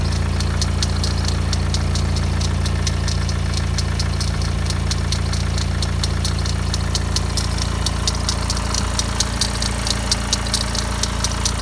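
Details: BMW 116d diesel at idle with fast light metallic rattle, thought to be timing chain but actually the idler pulley near the alternator; noise disappeared instantly when sprayed with WD40.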